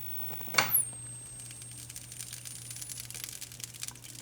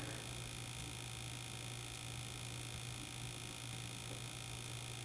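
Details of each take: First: 25-inch K7000 arcade monitor chassis after repairs for blowing fuses: a click at switch-off, then a thin high squeal that drops quickly and holds, which the repairer suspects is the flyback re-energizing; discharge noise at switch-off. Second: 25-inch K7000 arcade monitor chassis under repair for blowing fuses and a smoking R97 resistor, powered on: steady low mains hum with a faint high whine and no crackle, pop or arcing; running normally.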